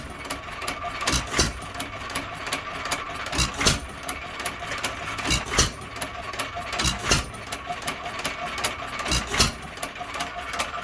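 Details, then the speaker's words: Hercules-type 1½ hp hit-and-miss engine with ball governor, first run in many years after cleaning and a new governor spring, slowed down: sharp firing bangs, often paired, every couple of seconds with long coasting gaps; normal hit-and-miss running at slow speed. "that certainly slowed her down a good bit and if you notice on the speed leader i am back in the middle"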